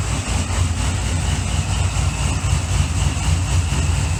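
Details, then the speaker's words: Supercharged C6 Corvette V8, first fire-up after piston replacement and new heads, idling while warming up: a deep, steady, even rumble with no ticking or knocking. Quiet under the hood, exhaust loud at the rear; it still needs a tune. "sounds pretty good from this angle totally quiet under the hood even for a supercharged car it's really quiet however the back is plenty loud"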